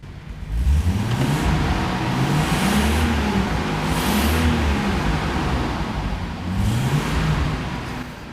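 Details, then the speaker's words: VL Commodore with a Nissan RB30 engine and an aftermarket turbo; the engine swells with each throttle blip, faint turbo spool rising with revs, not running cleanly, cause unclear. "you can hear that turbo starting to line up but and until I get it running like something that I'm happy with"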